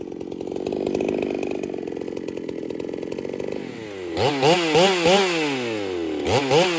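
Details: Ported Holtzfforma 395 chainsaw, very quiet: screams high and steady, then bogs into the cut with raspy hiss from muffler; owner suspects muffler isn't flowing enough, unconfirmed.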